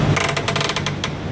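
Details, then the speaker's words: Truck air brake slack adjuster being adjusted with parking brake released: quick run of sharp clicks and cracks as the adjuster is wrenched, sounding like something breaking, but this ratcheting noise is completely normal. "now when I'm adjusting that that that noise right there you know it sounds like it's breaking something in there or cracking something in there that noise is completely normal on"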